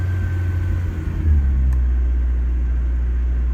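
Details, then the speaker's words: Volkswagen Jetta, cold start after two years sitting, choke partly pushed in: deep steady low rumble settling into an even idle with no knocks or stumbles; running beautifully. "running beautifully that's what we want to hear good stuff"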